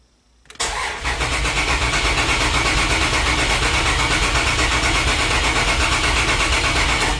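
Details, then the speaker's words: Dodge Dakota 3.9 on a new Megasquirt install, plug wires just connected: steady, even cranking for about seven seconds that never catches or speeds up; cranks but won't fire, owner suspects no fuel reaching it, maybe no spark too. "assuming there is no fuel getting to it it's about all I can think of at this point see if it's not getting fuel not getting spark or both"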